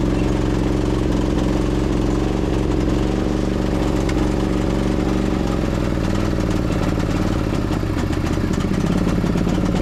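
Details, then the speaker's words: 2008 Husqvarna YTH2242 lawn tractor, Briggs V-twin, started on full choke: engine chugs unevenly with missing beats and is down on power; one cylinder is dead, later traced to a bent push rod causing a valve problem. "All right, so I think we pretty much confirmed it. I got a dead hole right here."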